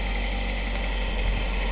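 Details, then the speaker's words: Ford Escort ZX2 parts car (1998 or 1999) with fuel tank bypassed and a makeshift line to the fuel rail, no coolant system: smooth, quiet, even idle, no knocks or misses; leaking transmission fluid; engine runs well. "it runs good losing our transmission fluid but we found out the was no good anyway hey it sounds good it's very quiet"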